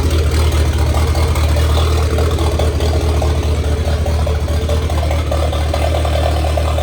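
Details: 1927 Ford Roadster 2.3L turbo four at idle after fuel-line repair on 91-octane fuel: deep, steady low rumble with an even beat, no misses or rattles; running cleanly, no leaks, still awaiting tuning.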